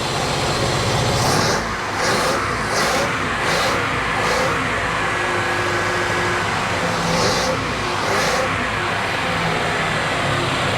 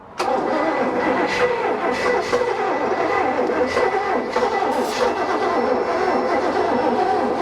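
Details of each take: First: 1988 Bayliner Avanti 3250, 260 hp 5.7 L Chevy 350 V8 with OMC Cobra outdrive, first start after sitting 6–7 years: low, slightly uneven idle with throttle blips, no knocking, runs on all eight; low idle needs adjusting, slight blow-by. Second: 1988 Bayliner Avanti 3250 with twin 260 HP 5.7 Chevy 350 engines and OMC Cobra outdrives, sitting 6+ years, throttle opened by hand: continuous cranking with ragged uneven catches that never settle; hard starting.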